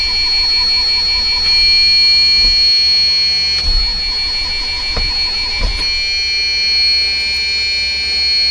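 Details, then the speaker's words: Dust Star motorhome just started, steady high-pitched buzzer droning continuously over the idling engine: low air pressure warning until the pumps fill the air tanks. "these are just air warnings i gotta let the pumps fill them up before i even go anywhere"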